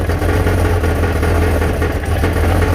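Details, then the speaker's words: Deep, loud idle with a loose buzzing rattle riding on the exhaust note, heard from under the car; internals of the steel oval Summit Racing Turbo mufflers have come apart inside. "internal mufflers come apart inside they are warranting them for me but i wanted to share them because this is the issue i'm having"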